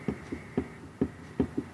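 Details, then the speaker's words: TEAC A-3440 reel-to-reel, capstan flywheel rocked back and forth after reassembly with thrust bearing and crossbar: about eight soft dull clunks in two seconds, a slight knock showing small, correct end play. "that just that slight little clunk back and forth and that's exactly what you want so there's just a very very small amount of endplay in this direction"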